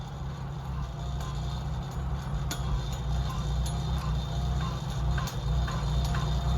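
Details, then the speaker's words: Oliver Super 77 tractor engine idling slowly: slow loping low rumble with soft regular ticking, steady; normal idle. "but I mean as you can hear the super 77 is just idling along"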